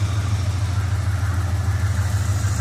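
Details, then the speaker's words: 1985 Chevy Camaro IROC V8 idling at about 700–800 rpm, said to run better and not feel shaky, though other problems remain; deep even lope, steady low throb, nothing clattering on top; smooth healthy idle. "Sounds like it's running better. But, that's not the only problem I have. See how it's running right now? See, I can come in here. Sounds like it's running pretty smooth. Doesn't feel shaky."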